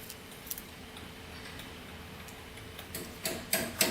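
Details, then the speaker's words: Honda 400EX quad, engine off, while checking tether switch and coil wiring: faint irregular ticking, then sharp clicks bunching at the end, like sparks; owner suspects a bad ground, not confirmed. "i think there's like a bad ground or something going on i will disconnect that i could hear like something going on like sparks going on not good"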